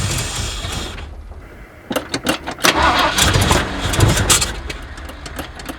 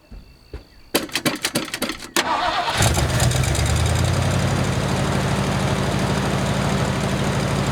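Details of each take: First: Abandoned 1979 Ford F150 Ranger with modified 351, started on a shot of brake clean: cranking catches into a few ragged, uneven firing bursts, then dies; accelerator pump not moving, carburetor or fuel pump suspected, possibly a clogged carburetor. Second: 1979 Ford F150 with modified 351, long abandoned, new carburetor, fuel filter and fuel line, first start running off the tank: a few starter cranks, then catches and settles into steady, even idle with no knocks or misses.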